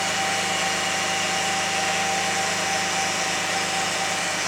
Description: 2001 Lexus RX300 making Whining Noise